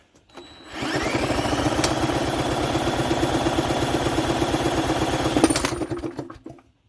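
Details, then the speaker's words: 1988 Jacobsen lawn mower, Briggs & Stratton 3.5 hp engine, turned over with a drill (broken pull-start spring), low throttle, no carb cleaner yet: quick even chuffing for about five seconds then fades, never catches. Cranking, no start. "okay i'm going to spray some carburetors i'm going to spray some clicks art in there to help it out because it's not wanting to let me get that off"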